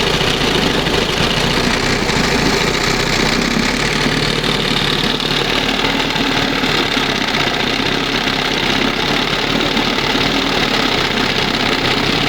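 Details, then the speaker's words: 1971 Johnson 20 hp two-stroke outboard after leaning the carburetor mixture and resetting the idle stop screw, throttle at the first mark: steady, crisp buzzy idle with no stumbling; normal idle. "Wow. That's the best right there. Sounds much better. And it's down here, you know, it's idling."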